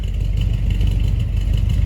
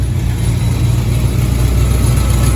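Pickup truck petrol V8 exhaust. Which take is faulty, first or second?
second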